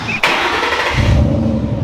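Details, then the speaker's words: Fox-body Mustang GT, mostly stock with a catback exhaust, not started in a while. A short crank, then it catches and settles into a deep, steady, low idle rumble; a normal, healthy start. "That GTCS has always sounded good. It's mostly stock. It's got a catback exhaust though, so it's just got a deep rumble. It's just a chill Mustang."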